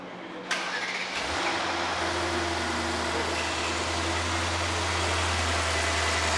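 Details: 2021 Mercedes GT63s AMG after a full engine rebuild and camshaft adjuster work. A brief crank, an instant catch, then a steady, even V8 idle with no rattle. Normal start and idle.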